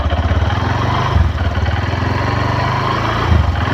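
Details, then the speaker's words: Honda Verza 150 motorcycle at steady idle after the rough-running fault was fixed: smooth, even low putter with no rattle or jingle, now sounding round and like a new engine. "Jadi suara mesinnya tidak ada yang kasar itu lagi, Teman-teman. Tidak ada yang gemerincing, tidak ada yang apa, Teman-teman,"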